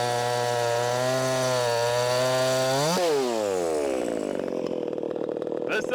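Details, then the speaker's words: Ported 50cc Echo CS501P converted to 3/8 chain on a Sugihara bar, cutting a log: high screaming note holds, then drops in pitch digging in but keeps pulling without stalling; it can pull 3/8 chain; normal cutting under load. "can definitely pull 38. 38 chain. 501P. Yes, sir."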